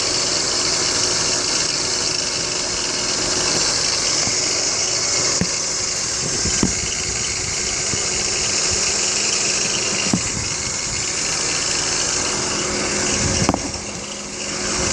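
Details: BMW X3 E83 engine idling with a loud steady high-pitched hiss and whir, faint tones and scattered light ticks; owner suspects tensioner pulley or water pump bearings, not confirmed.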